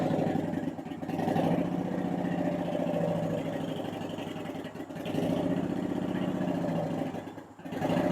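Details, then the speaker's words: 2010 Honda Shadow Phantom V-twin, just after replacing trashed fuel injectors (16450-MFE-641), warming up: even, steady idle beat with no more hunting up and down; healthy warm-up idle after repair. "You guys hear that? No more up and down, up and down. That was perfect."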